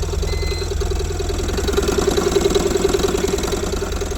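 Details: Tata Ace Gold BS6 diesel that wouldn't start, now idling after the fuel control unit was replaced and diesel supply restored: steady, even diesel clatter at about three and a half beats a second, engine idling normally.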